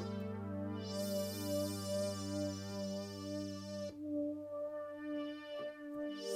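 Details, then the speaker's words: 1984 Roland Juno-106 synth after voice-chip epoxy removal repair, first power-up after reassembly: sustained chords ring clean and steady, every voice even with no dropouts or crackle; normal synth output, repair appears complete. "I think it's completely fixed. It's so good!"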